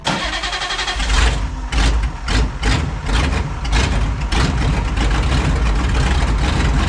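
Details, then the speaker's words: 1985 Chevy K30 rollback tow truck, diesel: idles with uneven lumpy beat and irregular heavier thumps; diesel misfire, possibly sticking or leaking injectors, not confirmed. "that might have some sticking or leaking injectors it seems"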